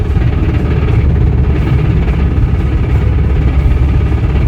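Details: Toyota Corolla, 119k miles, floored yet only doing about 40 with no power after rod bearing replacement on a worn crank journal: heavy fast low knock, fading off throttle, then stalls.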